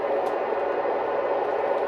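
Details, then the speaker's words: 2005 Lionel Amtrak Acela model train running at slow speed after a squeak was addressed: only a soft, even motor hum with no squeal or chirp; the squeaking is resolved and it runs silent. "now let's see if we got the squeaking under control let's see if we resolve the squeaking it's a beautiful thing silent"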